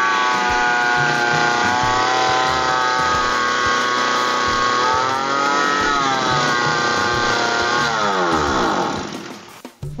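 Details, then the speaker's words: Lawn mower (brush cutter) two-stroke revs high and steady right from starting though the throttle is in normal position, instead of settling to idle. "saya akan mengatasi mesin pemotong rumput ketika dihidupkan dia langsung tes padahal posisi gas dalam posisi normal"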